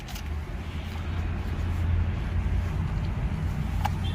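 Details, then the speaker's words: 2019 Hyundai Kona EV at full steering lock while accelerating then braking, recorded with the window open: intermittent sharp tick over low drivetrain rumble from the drive shaft spline, a common Kona EV fault. "이런식으로 나오느냐 소리가 틱틱 이거로 오늘 제 2 아주 좀 고질적인 거의 모든 코너에 다 소리가 나는것 같아요"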